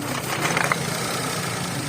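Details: 2011 Toyota Vitz petrol engine idling smoothly and evenly after repair of a P0303 cylinder 3 misfire, caused by a broken wire at the coil connection; check-engine light gone.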